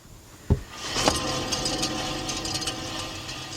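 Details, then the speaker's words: 2007 Lexus LS460 that shakes while driving with noise from the front: front wheel spun by hand gives a knock, then a dry gritty rumble fading as it slows. Worn front wheel hub bearing. "is the bearings inside the hub the hub bearing"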